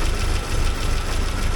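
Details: 1979 Porsche 924 after timing belt work, cold start in snowy weather: low, slightly uneven, loping idle. It should smooth out once the warm-up regulator heats, and blipping the throttle cold would stall it.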